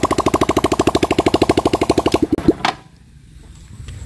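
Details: Yamaha Vixion, previously losing compression with MIL flashing code 21, after cylinder head repair, kick-started with radiator open and unfilled: fires in a steady even pulse about two seconds then stops; no puffing, head gasket seals.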